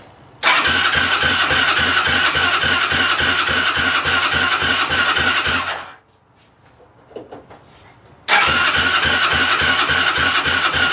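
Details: 2002 Yamaha Breeze 125 quad, first start after engine rebuild for a bent valve; single cylinder runs about five seconds with uneven choppy beat, dies, restarts; runs rough, cause unclear, spark to be checked.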